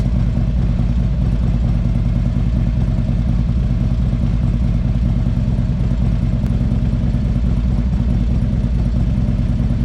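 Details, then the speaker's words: Harley-Davidson CVO bagger V-twin running: fast, even ticking and light clatter over the lumpy run, same noise heard while riding; electronic stethoscope check shows it is not the exhaust, source still unknown. "I went all around the engine. I hear nothing from nothing, the same noise that I'm hearing as I'm riding."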